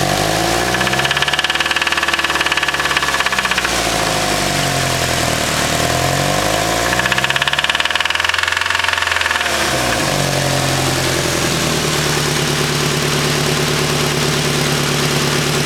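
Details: Nissan SR20 petrol engine revs up and down with a hard, rhythmic knock underneath from a spun bearing.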